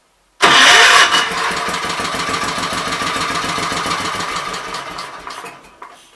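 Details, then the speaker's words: Kohler K241 single-cylinder, possibly off a Gravely 810, bench-run after carburetor adjustments: catches hard, chugs evenly a few seconds, then fades and dies; not running off bowl fuel, owner blames carburetor, fuel starvation stall. "i would say it's not running off the gas in the bowl but it will run so i would say all my issues are curvature related"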